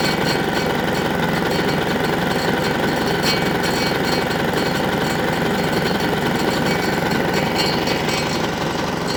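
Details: Single-cylinder diesel on a Winget mixer, stood a couple of years without starting, running after repair with filter refitted: steady fast, even chug, no misses or knocks, settling smoothly; normal running.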